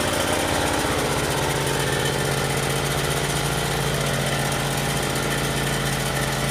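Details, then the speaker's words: Yamaha EF12000DE generator, 22 hp twin, after electrical repair with fresh fuel and auto choke: runs steadily but lumpy and chugging, sounding weak; owner suspects running on only one cylinder. "run a one cylinder right now it seems like"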